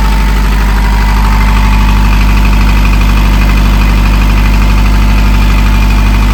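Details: Narrowboat diesel after in-situ repair, running while air is bled from system: deep even thump about three beats a second, no knocks or misses; steady healthy idle.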